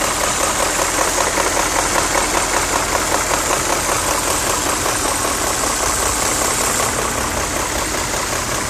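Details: BMW E39 M5 at steady idle with a sharp, even knock two to three times a second over the engine; owner suspects VANOS, cause unconfirmed.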